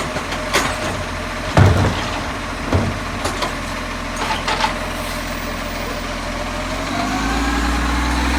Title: 665 with a buzzing sound